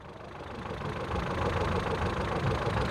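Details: Ford Figo idling after scanning and resetting the ECM, no trouble codes stored, in for a complaint of repeatedly shutting off: steady, even idle with a smooth low rumble and no misfire stumble or knocking, running normally.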